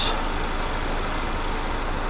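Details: 2009 Chevy HHR 2.2L Ecotec flex-fuel with incorrect alcohol-content reading (P0172, P0300, long crank), after fuel trim reset: smooth, even low idle hum, no misses, stumbles or knocks; trims improved to about -7; normal idle.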